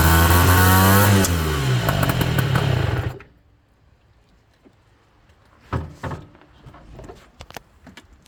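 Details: Peugeot Ludix/Speedfight small two-stroke engine after a rebuild. It buzzes for a few seconds with uneven pops breaking the revs, then dies. Popping after rebuild, cause not identified.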